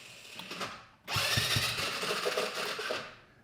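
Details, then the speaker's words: GY6 side-by-side with a no-start: the starter motor whirs freely and only catches the starter clutch briefly now and then. The starter clutch is slipping and worn out, and the fix is pulling the wheel and replacing it. "You can hear the starter motor and every once in a while it'll catch that starter clutch. That starter clutch is gone."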